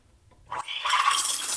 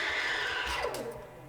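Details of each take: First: Gaggia Classic Pro steam wand frothing milk in jug: sharp hiss rising to strong steady steam roar with gurgle as milk spins nicely; normal full-pressure steaming. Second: Gaggia Classic Pro steam wand frothing milk as boiler runs out of steam: strong hiss with thin whistle fades and drops in pitch into weak sputtering; low steam pressure, milk stops spinning, poor microfoam.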